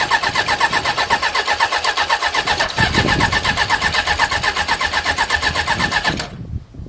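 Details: Suzuki GSX 600 motorcycle project after fitting a new switch: regular starter cranking at about four turns a second for six seconds, never catching, then stops; cranks but no start. Cause suspected, not confirmed.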